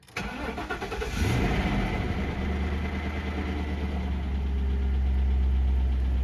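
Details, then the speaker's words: 2000 Ford Crown Victoria P71 first start after fuel pump replacement, with the pump primed three times: brief crank, catches and settles into a smooth, steady idle with no misses or knocks; healthy start. "All right. Looks like it's running. Yeah. There we go. She's a runner."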